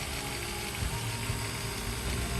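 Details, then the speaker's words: MN99S 1/10 RC truck metal gearbox after oil is added: slow, even gear whir with soft low hum, no harsh ratcheting; now much smoother and quieter. "suaranya jauh lebih lembut lagi ya."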